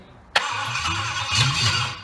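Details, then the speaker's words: Triumph Stag V8 on a test bed after full rebuild, start attempt on jump pack with rebuilt carburettors; sharp start then uneven cranking that catches briefly without picking up, fuel not reaching carbs; carbs later found misadjusted, firing order also wrong. "Right, so we have a fuel issue. Not getting fuel to the carburetors. Might need the carburetors adjusting up a bit."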